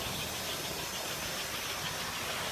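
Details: American Flyer 326 NYC Hudson small-motor toy steam locomotive, serviced, with air chime whistle in tender, runs off on the layout with a steady, even hiss and whir, no knocks or catches.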